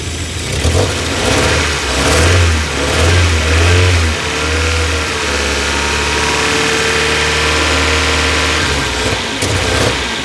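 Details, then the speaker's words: 1990 Toyota MR2 Mk2 JDM, after standing over 20 years: revs rise and hang with uneven, lumpy beat and stumbles, missing under throttle; owner suspects running rich, possibly coolant temperature sensor, plugs to be checked first. "I've got a feeling it's running a bit Rich so maybe that's something to do with a coolant temperature sensor or something like that I don't know but we'll do all the basics first we'll do the plugs and things like that you can hear it there it's just missing a little bit"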